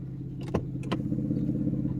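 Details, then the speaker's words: 1992 Mercedes 600SEL V12, about 148,000–150,000 miles, sat for years, first start: low steady hum whose level wavers up and down with clicks over it; idle rpm hunting, cause unknown. "this is the very, very first time I got this thing to even start, and I have this RPM situation."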